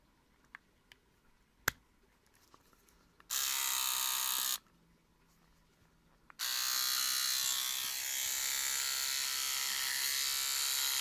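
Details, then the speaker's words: Cordless trimmer fitted with a manufacturer-supplied replacement blade: bursts of harsh, raspy, high-pitched buzz when switched on, and it is not cutting; it did not sound like this when new. Noisy running, cause unknown. "that sounds absolutely awful that did not sound like that at all when i first got it before i did any of these videos it did not sound like that"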